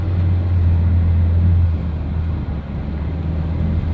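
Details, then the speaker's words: 2013-2016 Ford Escape 1.6L turbo after engine and 6F35 transmission replacement, driving with a warning message still showing: even drone under light load, rising and easing smoothly, no knocks or misfires, normal running. "for some reason I have not got rid of that as of yet so it's running real good"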